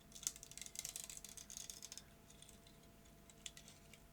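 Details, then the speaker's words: Maxell BetacamSP tape stuck in a UVW player: leader tape gone sticky from defective binder, gluing itself together; dry crackling tick-tick as the freed leader pulls through, sticky-shed noise. "it's gone sticky this whole piece of leader tape has gone sticky and was gluing itself together so that didn't come out far enough to meet the sensor inside the machine because this loop was stuck by the stickiness it's free to move now you can still hear it"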